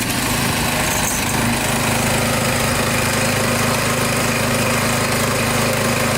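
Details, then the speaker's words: Warmed-up small engine from the saw restoration, started with choke, oil checked fairly clean: loud steady buzz at even speed without stumbling or surging; it smooths out, runs really good, slight smoke at first start; normal idle. "It smooths out. Runs good. Runs really good. Sounds good."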